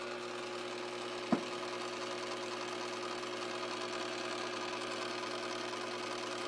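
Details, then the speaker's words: Kenmore 80 series washer fills with water but never agitates, giving only a steady motor hum. Bypassing the lid switch did nothing; the motor coupling was replaced and the pump checked fine. Owner suspects the timer. "turned it on it filled up with water but the clothes uh did not ever begin to agitate"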